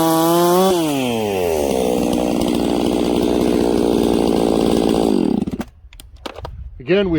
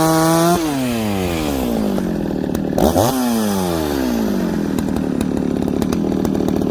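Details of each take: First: Ported 66cc Echo 670-class chainsaw, pre-warmed, cutting wood with hard knots: steady scream under load dips for a split second on a knot, then gets right back on the pipe; brief stumble under load. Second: Ported longer-stroke Dolmar chainsaw cutting through knotty wood: high scream dips as the chain bites, then holds and pulls through without stumbling or hesitating; normal running under load.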